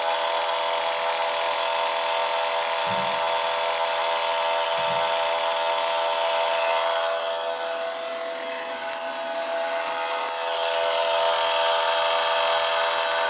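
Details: 2021 MG5 electric car during rapid charging: loud, steady high-pitched drone that dips briefly and recovers; cooling system roaring, with a pipe too hot to touch.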